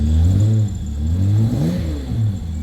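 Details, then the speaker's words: Holden VS Commodore V6 Ecotec after fitting a new cheap exhaust: revs rise and fall cleanly with a deep smooth note, no pops or backfires on lift-off; normal exhaust note, sounds much better than before. "well doesn't that sound a lot better than look at that perfect b b b b b Bob love it"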